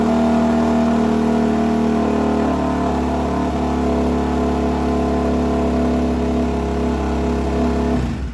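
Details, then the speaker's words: Suzuki DRZ400 single-cylinder, first startup after top-end rebuild (new rings, gaskets) and no-spark fix, on choke at about 65 degrees, no coolant yet; settles into steady even idle with no knocks or misses, then shuts off cleanly; normal running. "I give it a little choke because it's about 65 degrees. Ooh, sounds good."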